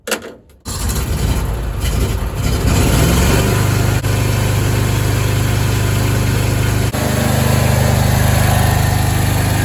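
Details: El Diablo carpet-cleaning truck mount after coupling sleeve replacement: catches after brief crank, settles into steady even idle with regular low pulse; running properly after repair.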